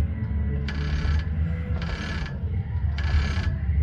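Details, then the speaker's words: Brunswick A2 bowling pinsetter cranked by hand: three slow, scratchy chirps about a second apart over low rumble, the short turret belt squealing at hand-crank speed; belt squeal. "I'm noticing a sound can you hear it almost like clicking that's the uh squealy short turret belt um squealing in super slow"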